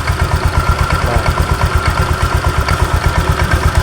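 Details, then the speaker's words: Honda Vario 125 scooter at idle: rough, steady tak-tak knocking about three a second over the engine that disappears at higher rpm. "jadi di sini ketika stasioner ketika langsam di sini bunyi tuh tak tak"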